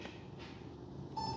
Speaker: Okay, so now it's definitely doing something. You can hear it beeping.